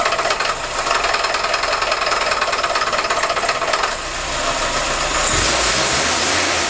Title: стук в двигателе 2101 part 2